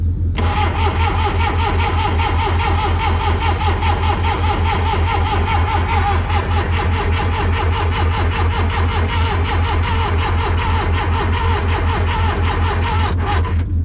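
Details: Backhoe diesel in neutral, ether sprayed into intake: steady rhythmic cranking about 2.5 beats a second without catching; cranks but won't start, cause unconfirmed (they wonder if it's getting fire).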